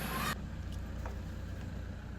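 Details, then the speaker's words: Toyota Hilux after replacing the starter motor's carbon brushes: it starts easily, then holds a low, steady idle with even firing and no misses or knocks. Running healthy. "ah nice one more time let me even open the windows so you guys can hear how well that starts listen to this"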